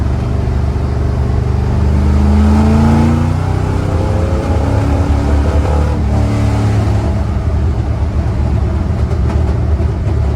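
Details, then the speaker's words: 1974 Corvette floored on open road: pulls briefly then the note stays low and flat instead of climbing, with strong fuel smell; suspected running rich and flooding from carburetor tune (float levels); carburetor bog at wide-open throttle. "Fell on the face pretty bad. I'll show you again. That was floored, and it was going nowhere."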